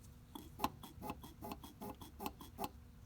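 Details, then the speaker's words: Mercedes 190SL, old engine-mounted mechanical fuel pump, lever worked by hand: quick chirpy squeaks about four a second from the squeaking fuel pump lever. "so now we'll go over here and again i'll show you that the old fuel pump that's on this car and you should be able to hear it squeak"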